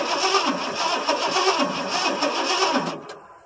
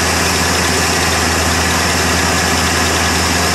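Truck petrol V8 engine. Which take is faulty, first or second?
first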